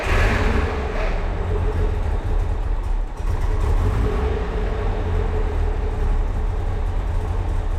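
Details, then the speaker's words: 1963 Maserati Sebring 3500 GTI with Lucas fuel injection, started after draining fuel-diluted oil and fitting fresh oil and filter: steady even low rumble, no misses, knocks or ticks; immediate oil pressure, no smoke; engine healthy. "Oil pressure is immediate and no smoke, which means the engine is healthy."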